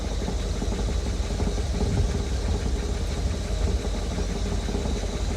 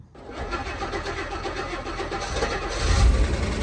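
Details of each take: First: Rolls-Royce, fully warmed idle: light irregular metallic tapping over steady engine note as hot exhaust knocks against the chassis; goes away under load or rev change, needs small exhaust adjustment. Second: Rolls-Royce that had broken down with an ignition power loss, started right after a fully refurbished ignition switch was refitted. It cranks, catches cleanly and settles into a steady idle; normal start.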